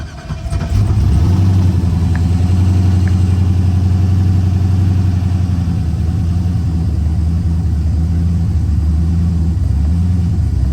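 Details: Race car engine started at 4:15 a.m. after overnight repairs, with the fuel pump primed after first turning over: catches within a second and rises to a steady, lumpy, deep idle, holding even with no misses or knocks; runs fine.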